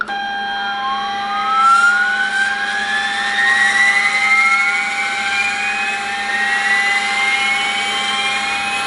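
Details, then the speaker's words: Sperry C-5 direction indicator gyro (1949 design), powered by 3-phase 115 V AC 400 Hz, spinning up after rewiring for correct rotation: steady hum with clean whine climbing smoothly in pitch, no rubbing or rattle; sounds much better, healthy. "Similar noise, huh? Maybe a little bit better. It Sounds much better."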